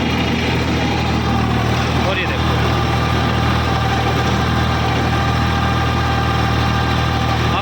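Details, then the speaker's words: Eicher 557 50 HP diesel tractor, about 1600–1700 rpm, first gear, PTO engaged with 8-foot rotavator, both levers down: steady low humming growl under even idle from the dual clutch, which hums from startup; engine itself sounds fine. "ये घूंघ की आवाज सी आ रही है ना तो ये भाई इसकी ड्यूल क्लच की आवाज है।"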